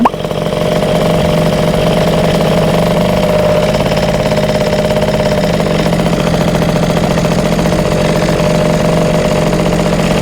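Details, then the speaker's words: Rebuilt Yamaha Jog CE50 70cc two-stroke scooter with Pelican CP19 carb, clip second from top, idling with a buzzy note that drifts up and down. No vacuum leaks found; it bogs when ridden, and the owner suspects lean. "So you can hear the bike idling here, and it's going up and it goes down."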